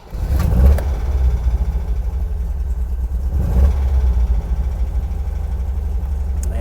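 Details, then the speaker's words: 1977 MGB, 70,472 miles, engine 18V883AE-L7967, SU HIF4 carburetor, cold start using choke with accelerator half pressed: catches right away and settles into a steady, even low rumble at a slightly raised cold idle; normal cold start. "A couple things you want to look for in this car when you start it is I've got my foot on the gas because we need to, the engine's cold, so we need to warm it up."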